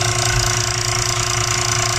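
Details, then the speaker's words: Old-style KDK wall fan running before repair: fast, steady buzzing rattle over the motor hum at constant speed from a loose rotor with bearing play; the rotor noise won't go away though the motor is still good, so the capacitor gets replaced. "Hindi mawawala yung tunog niya. Nandun sa nasa rotor. Maluwag. Pero maganda pa makina."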